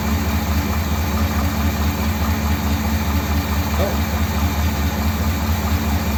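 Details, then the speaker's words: 1957 Ford Thunderbird with the original carburettor, only a tiny amount of fuel seeping from engine shake: steady, even low V8 burble with no misses. Normal idle. "so I think that fuel level's about [Music] right [Music] that's actually running okay isn't it"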